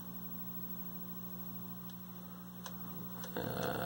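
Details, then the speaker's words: 1973 Admiral 12-inch hybrid tube/solid-state color TV: a steady low buzz of evenly stacked tones through the speaker, not wavering; loud mains hum, a filter capacitor suspected open, cause unconfirmed. "the hum is still pretty loud you can hear it through the speaker it's just loud so there's some filter that's opening"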